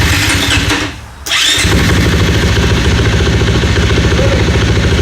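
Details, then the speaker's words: Single-cylinder dirt bike just after a Dirt Tricks cam chain tensioner install and retiming: a quick crank catches cleanly into a steady, quiet idle with no ticking or rattle, so the top end is healthy. "Nice and quiet, just like it should be."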